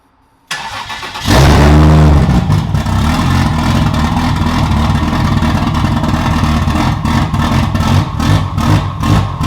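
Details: Toyota 2JZ-swapped BMW E36 on stock ECU; plugs found fouled and cleaned, replacement part installed: cranks, catches and revs but the note stutters and breaks up unevenly under throttle; engine misfiring, cause not found.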